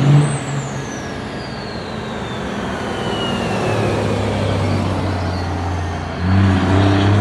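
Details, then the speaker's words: 12-valve turbodiesel on its first test drive; high squeal dropping steadily in pitch over a low diesel drone, something dragging or locking up; hoped it was brake paint, owner thinks a bad bearing; brake squeal. "we took it out for our first test drive and if you listen to the video you can hear the squeaking we were hoping it was just the paint on the brakes but yeah it wasn't I think it was a bad bearing to start wi"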